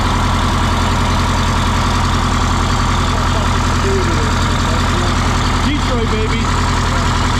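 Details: 1977 MCI coach with 8V71N Detroit two-stroke diesel after freeing three stuck injectors that caused a runaway: steady low drone, smooth regular beat of two or three a second; about 50 psi oil pressure, warming up; normal idle.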